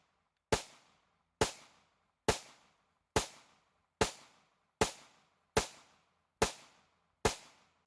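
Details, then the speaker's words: Worn Taurus PT111 Millennium G2 after cleaning and Galloway Precision trigger and 18 lb recoil spring upgrade, range test: nine sharp clean evenly spaced shots about 0.9 s apart, no stutters or failures; cycles reliably. "suffice it to say the important thing is that the pistol functions properly now"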